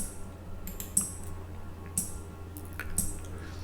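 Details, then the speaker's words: Raspberry Pi Sensor HAT relay triggered by an ultrasonic sensor when an object comes within 20 cm: crisp sharp clicks about once a second over faint room hum as the relay switches on and off cleanly. "so you can see the relay is on and off and on and off you can hear the clicking sound can you hear that guys"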